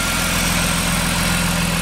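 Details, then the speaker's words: BMW E36 M3, test start after the fuel pump and a damaged wiring connector were replaced. Smooth, steady idle hum with evenly spaced firing and no ticks or stumbles. Normal idle. "that sounds good I'm gonna go take a peek at the power plant"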